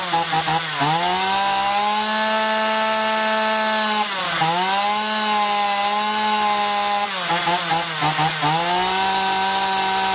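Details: Chainsaw after carburetor cleaning, with low and high mixture screws set 1.5 turns out, cured of surging and power loss; revs cleanly to a high steady pitch, dipping and recovering crisply under cuts with no bogging.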